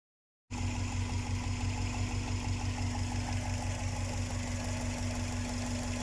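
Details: Subaru EJ207 flat-four (EJ series, newer-age Impreza) idling with a light, quick tapping about three times a second over a steady hum; suspected loose or improperly torqued spark plugs, not confirmed.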